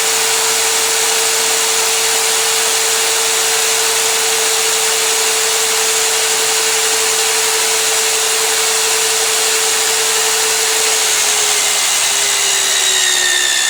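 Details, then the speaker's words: Magnetic drill used like a drill press, drilling with cooling lube; steady high motor whine under cutting hiss, pitch sagging near the end as the cutter breaks through; normal drilling. "i can roll this up i'm going to put some some cooling lube in there and we'll get this drilled out"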